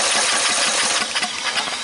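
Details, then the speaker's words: Red lawn tractor with 14.5 Briggs & Stratton engine, new fuel line fitted and line pulled off carburetor to test priming: short burst of starter cranking with rhythmic chugging, never catches; fuel not priming, choke tried next. "It's not priming. I'm gonna hook it up and choke this thing and see if that'll help draw it in."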